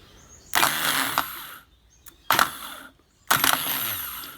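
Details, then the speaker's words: Suzuki Quad Runner 250 starter motor, cleaned and bench-tested off the quad by touching battery lead: three short bursts of sharp high whir spinning up fast and winding down cleanly; starter runs fine. "I better grab it before it jumps off the table so it's running fine"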